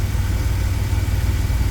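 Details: 2000 Chevy Astro V6 at idle, with zero misfires and clean live data; it had an intermittent crank-no-start and died while driving, with the crankshaft position sensor indicated, and the transmission slips. Steady, even low rumble with no stumbles, misses or ticks.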